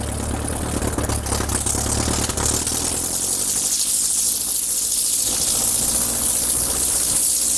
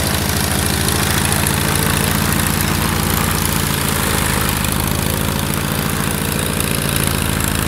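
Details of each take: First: Kit plane engine first run after 14 years, during run-up at about 1700 for prop cycle: on magneto check to right mag it misses heavily, beat turns ragged and engine dies, not recovering on both; misfire on mag check, cause not yet found. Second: Kit plane engine after 14 years idle, restarted with electric fuel pump on while checking mechanical pump: runs up steadily with even firing beat, no misses or knocks, then cuts off cleanly; normal run-up.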